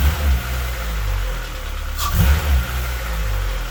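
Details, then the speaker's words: K-swapped Honda Civic EP2, IACV disconnected and water line looped: idle hunts and thumps unevenly with a rev blip and a dull knock through the rumble, a new noise not present before; cause unknown. "i think that sounds a little knocky but it idles now"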